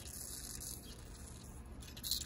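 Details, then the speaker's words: Fox DPX2 shock during IFP service: steady hiss with wet sputtering fizz as nitrogen bleeds out carrying RF3 damper oil; heavy aeration from nitrogen leaking into oil, common on these shocks. "that's the rf3 fluid leaking out with the nitrogen this is not normal but however on these shocks it's totally normal that is a lot of aeration"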